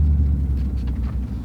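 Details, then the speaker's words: 2008 Toyota Tundra 5.7L i-Force V8 with timing chain, driving on the road: a deep, even rumble with no misfires or stumbling. Normal running while driving. "No, otherwise you can see this thing drives like a top. Doesn't have any misfires, runs perfectly fine."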